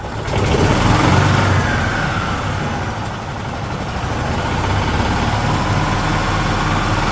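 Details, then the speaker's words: 2008 Yamaha Drive G29 golf cart engine after replacing primary and secondary drive clutches, seat open: small single revs up, eases back, holds an even, quiet run without the former clutch noise; healthy. "I did just fire it up wow is it so quiet now the the the clutch was so bad and you know the engine was so bad this thing was horribly noisy but it's back down to wow it's really really quiet even with the seat open"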